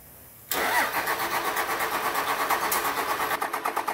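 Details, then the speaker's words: 1999 Cummins diesel on a frigid winter day, just fitted with a new Thoroughbred Diesel injection pump and new fuel filter; starter cranks at an even beat of about three pulses a second but never catches, with injector lines to be cracked to bleed any air. "right go ahead and break a couple of these injector lines loose so she can spray if she needs to get a little air out of there"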